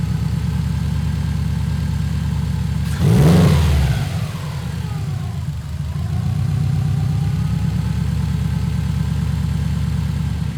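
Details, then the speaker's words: Subaru Legacy GT project car on new tune, alternator replaced and AC belt cut off to chase a lingering noise: smooth idle, one quick rev climbing and settling cleanly back, no ticks or whine; normal idle. "everything's synced up it seems to be working good"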